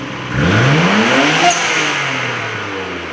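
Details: Nissan R32 Skyline GT-R after installing Greddy complete suction kit: engine catches and sweeps cleanly up in revs with intake rush, settles back smoothly; healthy, no misses or knocks.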